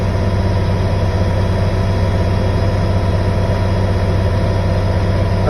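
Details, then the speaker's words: Class B fire dump truck in-cab air brake inspection: steady deep diesel rumble held slightly above idle, gassed to build air pressure until the governor cuts out around 125 psi; no knocks or squeals, normal. "I wait for the governor to sneeze at around 125 psi. If you don't go, I gas it a little bit more."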